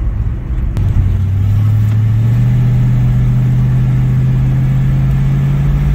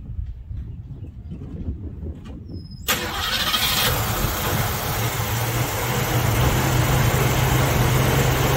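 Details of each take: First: 1960s Ford Mustang 289 V8 automatic, two-barrel carb, full throttle from about 40 mph: note climbs smoothly, no stumble or miss, pulls pretty good; kickdown issue pending fix. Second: Ford Mustang (1966/67) 289 V8 automatic, cold start at about 70°F: quiet, then catches sharply into a loud, slightly uneven idle that creeps up; running grossly rich on first start-up with a very lazy choke.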